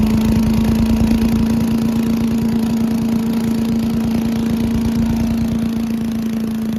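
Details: Old Giant Vac leaf blower with a 1982 8 hp Briggs engine, long stored outside, on a cold day. After water was cleaned out, it gives a steady, even drone at constant pitch with no misses or surging: normal running.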